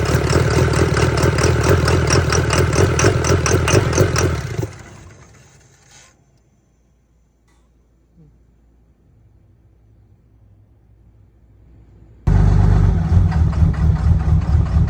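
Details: 2013–2018 Ram 6.7 Cummins diesel: uneven, lumpy clatter at idle that shuts off, restarts and stays rough; a faulty fuel rail pressure sensor is suspected.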